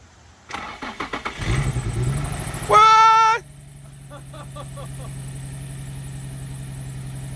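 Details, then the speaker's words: Nissan 350Z abandoned in the woods, first start after long storage with battery charged and green coolant present: several cranking bursts, brief sharp squeal as it catches, then low uneven idle with faint ticking; rough running after sitting. "it doesn't sound good it dude it cranked right up I did not touch the key and it just cranked"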